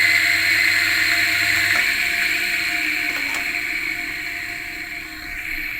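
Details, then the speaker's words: Washing machine motor (dinamo mesin cuci), bearing-type for torque, spinning with a steady hum and a gritty, rough rasp as it runs down; dirty grease in the bearing, so replace the bearing or add lubricant if not severe: worn motor bearing. "Jadi terdengar suaranya agak kasar memang harus di bongkar."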